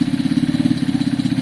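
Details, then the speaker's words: Kawasaki KSR motorcycle after top-end cleanup and reassembly with gasket sealer, fuel off and still smoky: quick, even metallic clatter about fourteen ticks a second over the single's idle; engine doesn't sound right, swap planned. "The engine doesn't sound great. It's a bit, I can hear it, it's a bit metallic-y."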